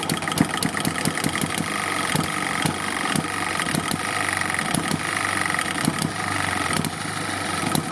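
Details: Eachine ET1 upgraded hit-and-miss gas engine, carburetor needle screw one-quarter turn out: crisp bursts of sharp pops with quiet coasting gaps between, the steady fire-and-skip rhythm of normal running.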